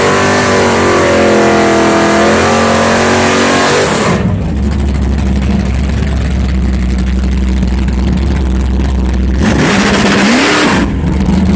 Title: Ralph stubborn misfire